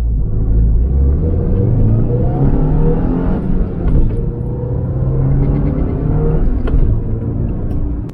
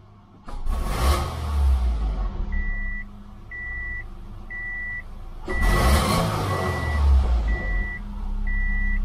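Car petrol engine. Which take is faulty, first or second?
first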